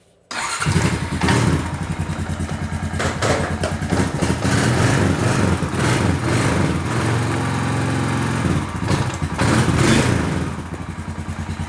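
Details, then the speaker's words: Honda TRX350TE Rancher after fixing a no-spark fault (a fuse blown by the carb heater circuit), run without a fuel tank connected: fires straight up into a steady, even single-cylinder thump, no knocks or smoke, despite a hard life. "this thing has been ran hard and very little care taken throughout its entire life and it still sounds good and doesn't smoke a bit"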